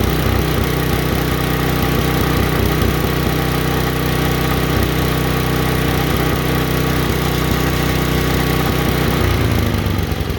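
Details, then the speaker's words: Mastercraft 24-inch snowblower, Tecumseh HSSK50 5 HP: loud, rough full-RPM running that keeps rising and falling, hunting; owner suspects emulsion tube problem, plans another carburetor. "and this one here will not stop hunting. And what hunting is if you watch, I had the cover off, it just sits there and does this run, run, run, run, run, run, run, run, at full RPM."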